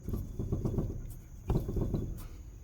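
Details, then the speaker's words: Renault Sandero front suspension, wheel rocked in and out: dull irregular clunks in short bursts from a worn inner tie rod (axial rod) joint at the steering rack, the rack also leaking hydraulic fluid; knocks over bumps, worse with the car's weight on the ground. "aquela Bolota tá lá vai para dentro para fora e também tá com vazamento no setor hidráulico já também ó lá então no buraco faz esse barulho"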